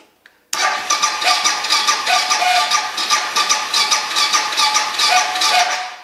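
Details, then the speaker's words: Suzuki DR650 starting after Lectron carburetor install: harsh scratchy cranking with rough uneven chatter about two beats a second, no catch; owner says the starter makes noises, cause not stated. "My starter makes noises, so just endure that."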